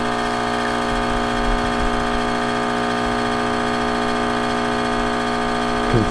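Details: Rancilio Silvia M single-boiler espresso machine after full service, pulling an espresso shot from tamped coffee: steady even pump buzz through the shot with no stutter or surging, normal espresso pump operation.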